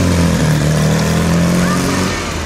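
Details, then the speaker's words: A VW Super Beetle air-cooled flat-four, cold, runs just after a stock Solex carb replaced a China-Weber that left it running on two cylinders. Slightly choppy while cold, but now on all cylinders and otherwise healthy. "a little choppy because it's cold but sounds good otherwise it's running on all cylinders again which was a big deal"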